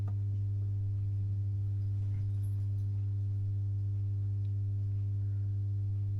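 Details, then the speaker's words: Masco M25N valve amp, poorly re-capped, on current limiter with dim bulbs, no excessive current draw: loud steady low hum, constant level and pitch; mains hum from insufficient filter capacitance. "the two the bulbs are dim though you know it's not like it's they lit a little bit but they dim it's not like it's drawing excessive current but that doesn't sound good does"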